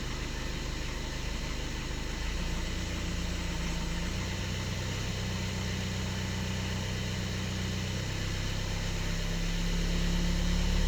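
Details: 2013 Skoda Octavia A7 1.6 TDI, 188,000 km, cold start: diesel idle with light, fairly regular knock about three times a second over the clatter, source unknown; knock disappears once warmed up.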